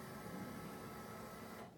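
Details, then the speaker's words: 2014 Kawasaki ZX14R after reinstalling Schnitz Racing reflashed ECU, ignition cycled off after 10 seconds and back on: steady electric hum with faint high whine for about a second and a half, then cuts off; fuel pump priming normally. "Shut it off. Turn it back on. You should hear the fuel pump engage."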